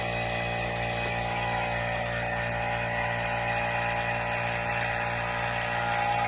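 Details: Sub-Zero UC-24BG/S/TH 24" beverage center/wine cooler during sealed-system repair: vacuum pump at start of pull-down; steady, even motor drone with constant mechanical buzz, no knocks or grinding; pump running normally.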